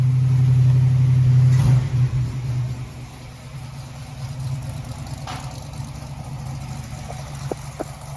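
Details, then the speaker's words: 1964 Ford Falcon after tightening loose header-to-collector bolts that caused a severe exhaust leak: deep strong rev easing to a steady even low burble, no puffing or ticking; exhaust sealed, normal idle and revs. "We're in business now, baby. I believe that'll work. How quiet that little thing is. Can't hear nothing but the fan."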